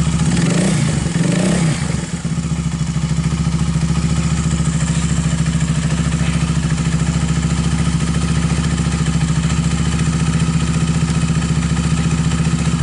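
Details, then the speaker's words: Viar 150cc single-cylinder motorcycle after repair of a knocking ("klotok") top-end noise caused by the cam chain (rantai keteng), fixed with thicker cam chain and gear: short blip then steady even idle, no top-end clatter; normal and smooth. "Hai jadi mesinnya sudah kembali normal dan halus teman-temannya"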